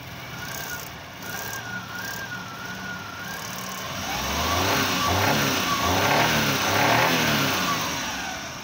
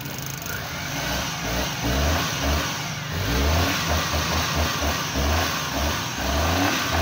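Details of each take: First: Suzuki Mehran petrol engine with starting and current-missing issues, running: a light, wavering chirp over the revving engine from the distributor shaft, which must be opened and inspected. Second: Suzuki Mehran after the distributor clips and coil wire were cleaned and refitted to cure missing current and distributor noise: catches and settles into an even petrol beat with light throttle blips, with no distributor shaft rattle now.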